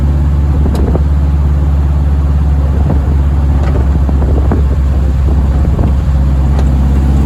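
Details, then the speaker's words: VW-engined Deserter GT dune buggy after throwout bearing, pressure plate and clutch disc replacement, on a road drive; steady air-cooled drone, no rattle or clutch-pedal noise; normal clutch operation. "All right. So, the rattle's gone. Um, and the noise when I step on the clutch is gone, too."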